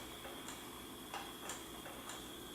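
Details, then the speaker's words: Fisher-Price Cradle'n'Swing swing motor reassembled after the startup grinding fix: soft, fairly even ticking every half second over a quiet hum, not super quiet but no longer loud and no grinding; normal swing motor operation. "we can actually test this so turning it on well not super quiet but it's not that loud anymore okay stop saying nicely and this is actually not that bad anymore"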